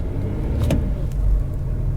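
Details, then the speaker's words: Frosty cold start of 2009 Range Rover Sport HSE diesel after glow plugs cycled twice: heavy, uneven, lumpy low thumping instead of a smooth idle, with heavy exhaust smoke; rough idle. "this is very lumpy"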